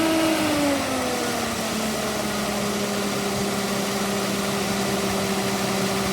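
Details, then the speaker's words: Austin K9 vintage truck engine under restoration: revs sag from held throttle to a low idle with uneven thumping misfire, gauge reading -5; it later stalled, owner unsure whether from running out of fuel or the misfire. "I don't know if that's because I've run out of fuel or because of the misfire, because every time you could hear it thumping and misfiring, it was going all over the place."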